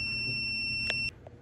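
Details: Klein ET110 carbon monoxide meter exposed to cigarette smoke on a counter, alarming within about 10 seconds (peak 311): a shrill, high-pitched beep sounds steadily for about a second, then cuts off. The high-reading alarm has tripped.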